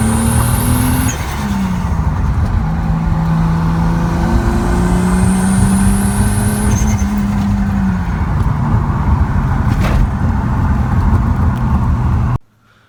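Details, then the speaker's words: Tuned Supra being revved while cleaning up the AFR map, new spark plugs: hard-pulling note with ragged stumbles at full throttle; misfire under load, owner suspects the new plugs and plans to re-gap them. "but if I go all the way, there's a little spark out. You hear it? I put some new spark plugs in here, but I guess got the iridium ones."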